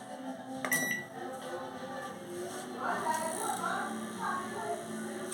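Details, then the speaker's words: Japanese 220V microwave, model AMW G 925 CSG, after repair: it runs with an even hum and no rattle, squeal or scraping. The earlier strange noise came from a lack of lubrication in the fan's plastic bushing, which was oiled. "Ficou zerado. Portanto, era falta de lubrificação ali na bucha, na parte de plástico."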